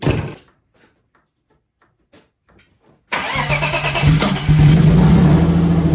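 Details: 1994 BMW 525 E34 Touring inline-six, revived after sitting 10 years, just converted to a 5-speed ZF manual: quiet, then a quick crank and the six fires into a smooth, steady idle with a slight rise; starts and runs fine.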